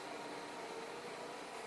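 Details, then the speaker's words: 5 A motor driven by a transistor H-bridge from a servo's motor outputs via a comparator, running full speed; steady even whine with buzz from the square-wave drive, no jitter or vibration, transistors cold. "you can hear it buzzing it's because it's receiving a square wave"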